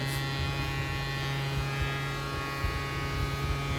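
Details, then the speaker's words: Sound Bridge SB-3500 DP amplifier idling into a small speaker with its driver board open. A steady low hum with a buzzy edge comes from a manufacturing fault: wrong 2200 MFD capacitors on the driver board. "Sound వస్తుంది, విన్నారా? ఈ sound పోవాలంటే friends actually ఏంటంటే ఇది మ్యానుఫ్యాక్చరింగ్లోనే complaint ఉంది."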